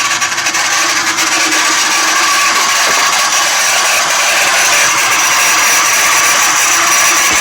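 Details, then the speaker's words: 1995 Jeep Cherokee 4.0 L six, about 240,000 miles, idling: harsh metal-to-metal scraping and chatter from the serpentine belt idler pulley, whose bearing has failed and come completely detached. "okay so I don't know if you can hear that noise but it sounds like uh metal to metal"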